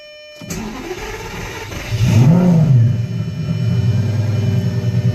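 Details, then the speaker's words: Pre-LP Lamborghini Gallardo 5.0 V10, first start after alternator replacement: catches cleanly, brief rev blip, then a smooth, even idle. Normal start and rev; the fault is fixed, and the owner suspects the old alternator's voltage regulator. "cool so it's good then that fixed it and now I have an alternator that I can rebuild on the side"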